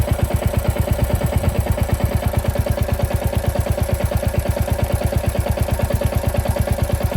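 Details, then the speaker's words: Royal Enfield Classic 350 Reborn, FuelX Pro Plus map 3 (lean burn), hot after about 30 km, combustion chamber 121, heat smell: idle thumping with metallic clatter on each beat, sound changed to more knocking-type; combustion clatter from lean running. "So if you hear the sound has changed. The clatter is more knocking type of sound. I can smell the heat."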